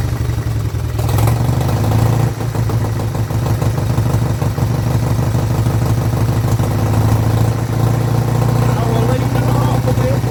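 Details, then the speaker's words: Vintage Douglas engine, first start after 40 years under a hedge, carb recleaned, mixture screw adjusted, no silencer fitted: steady, even low thump holding a smooth idle with no misses; running cleanly and sounding good. "there we go the Douglas does live and don't actually sound nice oh even without a silencer on she sounds really good"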